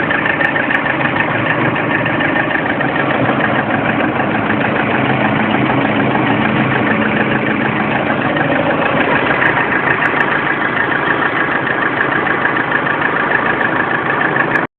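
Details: Lada Priora at 5000 km, warm engine: steady idle with a light, even tapping a little over three per second. The knock first appeared at 400 km, cause unknown. Engine knock at idle.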